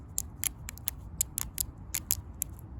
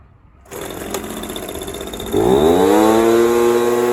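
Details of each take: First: Echo PB230LN blower that wouldn't rev, with a purge bulb that wasn't returning: the old fuel pump diaphragm, flexed by hand with the engine off, gives dry, crunchy crackling clicks, a hardened fuel pump diaphragm. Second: Echo PB230LN handheld blower that previously wouldn't rev, now with an aftermarket fuel pump diaphragm kit, fresh fuel and new purge hose, choke off: it starts and climbs cleanly to a steady high rev, good throttle response, normal revving.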